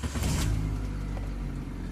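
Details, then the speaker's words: Hyundai Matrix 1.6 petrol automatic, previously no-start and no spark from an immobilizer fault, after its Bosch ECU was unlocked with the immobilizer disabled; brief cranking, then catches and settles into a steady even idle, starting normally. "και πήρε μπρος. Κούμπλε."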